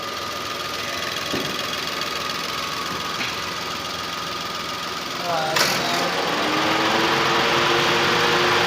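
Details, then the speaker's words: Datsun Go petrol engine after replacing the faulty number 3 ignition coil: steady, even note with no misfire or jerking, picking up cleanly when throttle is blipped with the AC on; normal running with AC on. "देखो ओके हो गया इंजन एकदम। अब कोई इसमें जर्किंग वगैरह कुछ नहीं है। ये देखो कोई जर्किंग नहीं है इंजन, ठीक है।"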